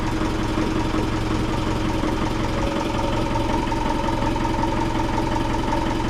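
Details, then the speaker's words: Boat's loud diesel running with a rough beat near 146 a minute and a steady hum over it; odd noise of unknown cause while working on engine bolts and shaft alignment, shaft not jumping, leaky exhaust hose also present. "Yes, of course I heard it. Not sure what it is, but yes, I heard it. Alright, we got some kind of weird noise I gotta investigate."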